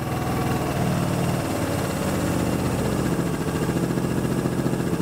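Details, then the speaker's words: Carbureted Vespa LX scooter after idle jet cleaning/change, idle stop screw adjusted: low, even putter that returns to a steady idle after each throttle flip without hanging high; normal idle, runs like new. "you can always check your idle give it a flip and then let it drop to the idle stop and it's coming to a perfect idle every time so this this uh lx runs like a top"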